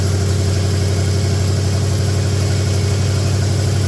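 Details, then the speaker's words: 1966 Buick Special with a 350 V8, shortly after its first start: steady, even low rumble with a smooth regular beat, no knocks or misses; idles and idles down well, though it has not run long yet. "of course I haven't run it very long uh but uh looks like it idles good it idled down good"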